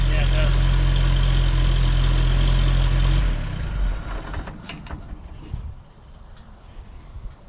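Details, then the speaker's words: CCKW military truck started on choke with a little throttle: steady, even low rumble at about four beats a second before winding down; engine idles smoothly and no exhaust leak is heard. "Sounds good. I don't hear an exhaust leak anywhere."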